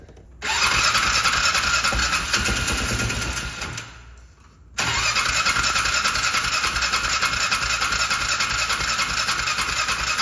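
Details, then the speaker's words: Polaris Ranger 500 side-by-side, reportedly sitting since 2020, air filter put back in; starts, stumbles and dies, restarts with a loud steady rushing hiss over the engine; water ingestion, first thought to be water filling the exhaust. "the hell was that sound like a bunch of water russan holy the exhaust is full of water that's what that water rushing sound is"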